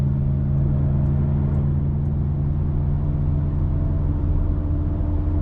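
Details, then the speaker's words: Nissan Sentra driving: steady deep droning hum from the rear wheels, louder with speed, no knock or grind; worn rear hub bearing, hub assembly to be replaced. "the back just that loud humming just run it gets louder and louder the faster you go"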